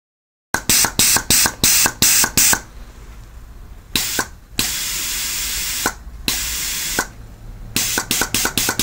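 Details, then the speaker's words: Reconditioned GM Holden/BMW 5L40E transmission shift solenoid bench-tested on air with power applied after plug adjusted to stop leaking: sharp clicks with bursts of air hiss, then steady blasts as it opens and closes cleanly; solenoid switching normally. "And there it is working with the power on."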